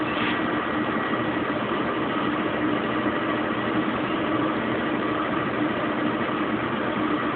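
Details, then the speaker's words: Kenmore Oasis top-load washer being repaired for OL code, 6 minutes left, spin in high gear with pump on: smooth steady whirring hum as RPM climbs to top speed, no knocking, grinding or banging; normal spin. "I can hear it really starting to spin up. Still spooling up. You can hear the RPMs increasing. She's really going to town now."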